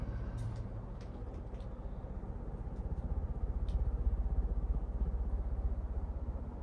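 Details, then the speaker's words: 1998 52-inch Hunter Sea Air ceiling fan running on high: steady low whoosh with even rhythmic blade beat, no hiss, scrape or rattle; bearings quiet, normal high-speed running. "honestly it actually runs pretty quiet I don't even hear the bearings hissing"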